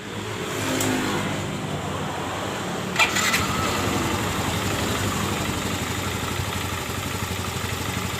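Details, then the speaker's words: Yamaha Mio M3 scooter starting and idling smoothly with no knocking after replacing the rollers and fixing loose plastic in the left CVT case that caused the clatter; rear wheel no longer turns at idle. "langsung halus ya teman-teman dan roda pun belakang tidak berputar kayak tadi"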